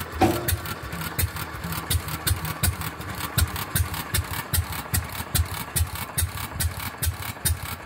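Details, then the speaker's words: Fairbanks Morse 208 oilfield engine on a pumping unit, just fitted with a magneto after electronic ignition failure, restarted after 36 hours down: slow thumping with sharp metallic clangs at irregular moments as the unit goes up over the saddle; cause unknown. "it just started making that noise there it is it's going up on up that saddle"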